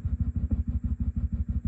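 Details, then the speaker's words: Swart AST Pro tube guitar amp (new tubes except one old Sylvania): little noisy thumpy pops pulsing with quiet gaps, a steady throb; could be power tubes, likely a bias setup issue. "One thing we didn't check out. Little noisy pop. kind of thumpy."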